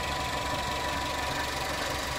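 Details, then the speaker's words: Toyota Carina E XLi 1.6 estate, old car, heat shield broken off: a faint steady high whine over an even idle. The owner suspects the alternator bearing is starting to go, unconfirmed. "Sounds like the bearing on the alternator is starting to go, but you know, it's an old car, so no heat shield because that broke off."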